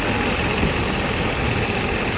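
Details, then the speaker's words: Mercedes S500 starting for the first time after timing chain and guides replacement, at operating temperature; warm idle has a faint uneven rock, as before the repair, cause not pinned down. "now the engine has a little bit of a rock into it it's been like this before and still it's rocking a bit"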